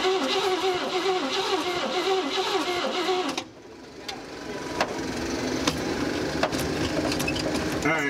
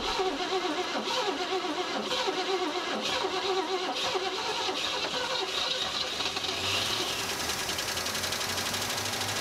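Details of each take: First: 1956 Cadillac Eldorado Seville, off the road about 30 years, cranked to test the fuel pump: starter churns the engine at a steady rhythm for about three seconds and then stops; it never fires. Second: 1956 Cadillac Eldorado Seville V8, off the road about 30 years, running for the first time on gravity-fed fuel after starting spray: steady, busy run with no obvious misses or knock after the first few seconds; running normally.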